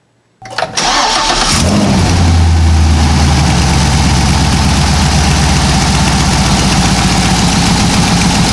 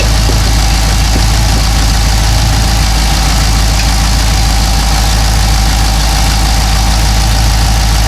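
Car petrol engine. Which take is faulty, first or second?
first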